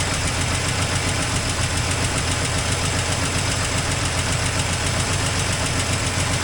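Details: 1984 Toyota Land Cruiser FJ60 first run in many years: uneven, loose idle with an irregular chuff about three to four times a second over a steady drone, with an exhaust leak noted. Rough idle, cause unconfirmed.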